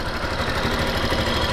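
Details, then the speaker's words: Factor 2022 motorcycle, 55,000 km, valves never adjusted: steady single-cylinder idle with light quick ticking, worse when revved, plus a rattle suspected from cam chain; loose valve clearance, tappets need adjusting. "pr ouvir B barulho tem um tiquezinho quando acelera fica bem ruim e tem um Chacal desse lado aqui"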